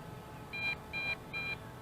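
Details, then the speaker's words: Potensic D80 drone in flight gives three short high beeps about 0.4 s apart, a repeated low-battery warning tone; lights turn red and flash. "ear it beeping that means that the battery is low and we need to bring her on down bring her on down"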